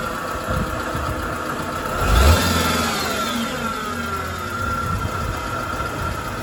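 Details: BMW 320si idling with one quick rev: irregular tapping knock stays under the engine note before and after the blip; unexplained, alarming internal engine noise.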